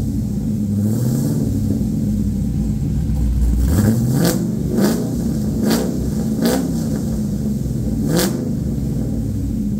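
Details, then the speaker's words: LQ4 V8 swapped into a 1985 Pontiac Trans Am with a red hot cam, headers and 4in exhaust, on a later restart after the first startup: repeated revs climb and drop cleanly with a choppy cam idle between blips and no misses or knocks; healthy. "now you can actually get an idea of how this thing sounds with the red hot cam as it is pretty dang loud with the 4in exhaust it sounds pretty mean"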